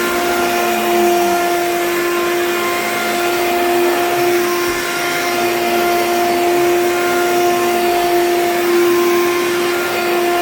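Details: Hoover U3109 5.5 A vacuum, dirty: very loud steady motor roar with an unwavering mid-pitched whine and no speed change; unusually noisy, cause unclear, smells burnt afterwards.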